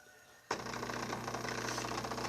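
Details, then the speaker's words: Brastemp Ative 11kg washing machine being tested: a click, then a steady low hum with rushing water as the inlet valve opens and fills normally. "colocamos a entrada de água está pedindo água normal"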